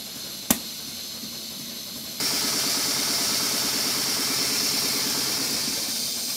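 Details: Stuart Models Twin Victoria steam engine on a large steam plant with ceramic burner, running in steam at about 60 psi on the gauge with the safety valve set. It gives a steady steam hiss and even, quick exhaust beats near four a second, running smoothly and normally.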